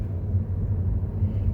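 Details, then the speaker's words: 2015 Mercedes-Benz W212 E-Class after repair; the owner had a front driver-side noise despite repeated suspension part replacements. The ball-joint bearing was suspected, and on the post-repair rough-road test drive only a low road rumble is heard, with no clunks; the suspension sounds tight. "비포장도로까지 가면서 약간 소리가 크게 났던데 거기까지 딱 가면 소리가 하체를 바꿔서 스쳐가면 다 좋네요"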